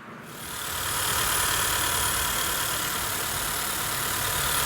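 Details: 2013–2017 Honda Accord petrol engine after belt tensioner replacement, idling smoothly with an even, steady hum and no whine from the belt drive: normal idle.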